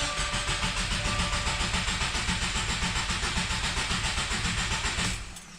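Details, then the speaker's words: 2020 Subaru WRX, 2.0L turbo FA20F four, 4,000 miles, after an oil change: cranked with clutch in and throttle floored so it won't fire, to build oil pressure; even starter chugging about four pulses a second for five seconds, no start. "then this builds oil pressure so you can check for leaks so one foot on the clutch one foot on the gas all the way to the floor put the key in turn the ignition on and then just turn it over"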